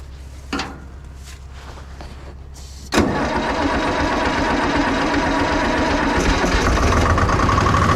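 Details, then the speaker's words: Detroit diesel car crusher at idle with a pressure line cracked open: loud busy idle with a rough hissing wash; hydraulic pump is pulling only air, not oil from the tank; blockage or failed pump suspected. "that so it looks like we're just getting nothing but a bunch of air"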